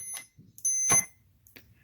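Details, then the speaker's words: 1997 Arctic Cat Thundercat 900 snowmobile throttle safety switch tested with a multimeter on its wires: high continuity beeps cut in and out as the throttle assembly is moved, so the switch loses contact intermittently and is faulty. "if you want to test it you could jump it make sure that's the problem for you because you can hear it's not a hundred percent on mine"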